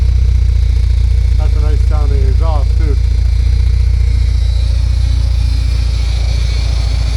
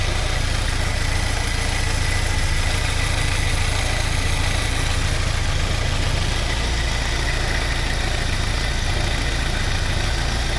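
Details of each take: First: 1979 Porsche 924 warm idle, heard underneath: steady, even low burble with no ticking anymore; healthy exhaust. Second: 1979 Porsche 924 warm idle after 10 minutes, fan running: steady low drone with faint rapid rattle about three beats a second near front accessories; owner unsure if alternator (new 3D-printed bushings) or surroundings, suspects shaking water pump pulley or belt.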